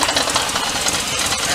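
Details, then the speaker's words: Chevy 1500 pickup after LS 5.3 swap: rapid, uneven metallic knocking over rough idle; source unsure, first said to be exhaust or transmission, later not the motor, suspected transmission or transfer case; unconfirmed. "it definitely sounds like what the is that sound i don't know what that sound is it sounds like an exhaust sounds like it's in the transmission"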